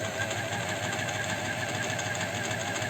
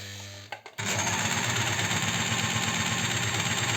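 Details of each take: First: Astralux M10 sewing machine after repair, tension adjusted with play under 2 mm, cleaned, running open outside its housing: light, quick, even ticking with soft hum, no knocks or rattles; well oiled, runs smoothly, almost whispers. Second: Astralux M10 sewing machine that hummed but wouldn't sew, just oiled: busy rattling clatter with a thin high squeak, still dry and binding because the oil hasn't penetrated yet; more oiling needed.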